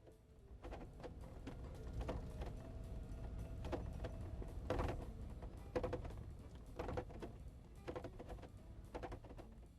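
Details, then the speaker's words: Mercedes SLK W171 Vario roof on a rough-road test drive: irregular metallic knocks and clatter. The locking hook sits too high or too low, off-center in its retainer; the fix is realigning it, after oiling dry or dirty seals. "The metallic banging sound you're supposed to hear sounds like this."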